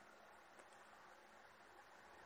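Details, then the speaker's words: Noctua NF-P14s redux 1500rpm fan at 12 volts, full speed: soft steady air rush with only faint high whine, no ticking or grinding; healthy, strong airflow. "a bit of whining, but not much."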